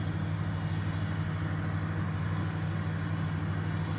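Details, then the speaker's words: Idle with no stored trouble codes but unstable rpm rising and falling: steady low drone with an uneven, lumpy beat and faint stumble; misfire on cylinder 4, confirmed by exhaust waveform. "تبقى هي المشكله هنا عننا مس فاير هنا ميس فاير هنا ميس فاير"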